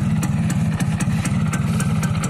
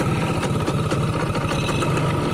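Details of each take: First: Rough, fast two-stroke popping idle with a slightly uneven beat on a 2002 F1ZR Caltex Special Edition H2K. The bike is 20 years old and its engine has never been rebored ("OS 0"), on a standard exhaust; the slight roughness is put down to age. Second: 2002 F1ZR Caltex Special Edition (H2K), a 20-year-old two-stroke with original carb and CDI and a stock, unmodified exhaust: crisp, even idle with a steady fast putter and no knocks or misses. Normal, healthy two-stroke idle.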